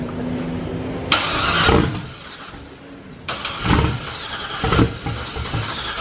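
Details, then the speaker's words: Turbo LS truck engine in a Corvette, first start on Holley Terminator, fuel pressure 53: repeated cranking bursts where it briefly catches and dies; owner suspects lack of fuel, earlier two bad crank sensors, cause not confirmed. "it's like half started are we sure this thing has eight cylinder or eight Pistons in it do i turn the poles on is it a lack of fuel issue"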